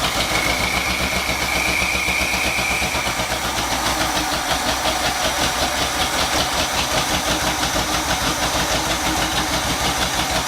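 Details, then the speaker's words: Midnight Maroon with black smoke and unburned fuel from the driver's side bank: uneven, loping idle with irregular stumbles and a hiss, stumbling hard on throttle; owner suspects choke or accelerator pump, plans to recheck timing; rich running. "Wonder if my choke's not set right. Stumbles pretty hard right out of the gate when you push the gas."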